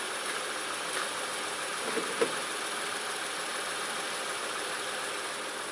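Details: 2006 Honda Ridgeline RTL, engine at idle right after a DIY power steering pump replacement, fluid slightly over the full mark: smooth even idle with a steady hum, no whine or groan from the new pump; steering turns easily, all healthy.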